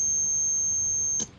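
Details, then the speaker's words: AM transistor radio with the amplifier section isolated, signal injected at the detector IF transformer pins: a steady high whistle from the speaker for about a second, showing the detector IF stage is good. "It means that the detector IF is good."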